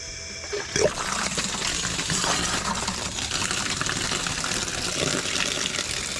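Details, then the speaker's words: 12-volt lawn-and-garden pump on off-grid tiny house water system, switched on via inverter: steady rushing hiss of air purged out of a 70 ft pipe, turning to water flow; normal. "we'll turn on the switch now you should be able to hear that air coming out of the pipe for 70 ft"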